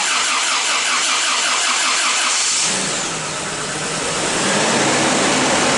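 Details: 1988 Toyota pickup with freshly assembled and installed replacement 22RE engine, first start: rhythmic cranking about two and a half seconds, then catches and settles into a steady, even idle; normal healthy start.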